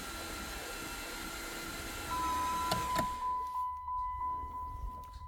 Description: weird whining noise 2008 dodge charger 3.5 v6 help please